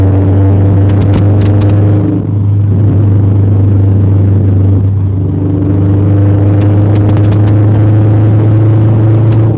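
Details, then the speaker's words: Honda Civic four-cylinder (V16A) with a bad exhaust blowout: loud, deep uneven rumble with revving blips and raspy throb. "got a wicked fucking exhaust blowout."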